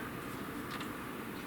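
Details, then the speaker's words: PC in new Montech Flyer case at power-on: RGB case fans, still obstructed, give soft even airflow hush without ticking, rattling or whine; top fans quiet, running normally. "RGB on the fans work, and they're blowing quite a bit of air. Granted, they're still obstructed, but they're blowing quite a bit of air. And the fans on top right here, they're actually quiet."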